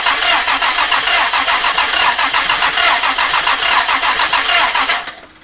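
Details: Restored Jaguar E-Type 2+2 on its first start attempt after restoration; even starter churning about 3.5 beats a second for five seconds, never catching; crank no start, fuel dripping, float level suspected wrong.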